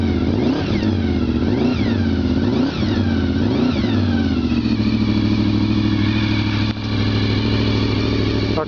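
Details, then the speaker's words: Cold 1996 VFR750F motorcycle engine: several quick smooth throttle blips rising and falling cleanly, then a steady, even idle; quiet and healthy, normal revving. "that's from a perfectly cold engine and it sounds rather lovely it really is a nice quiet"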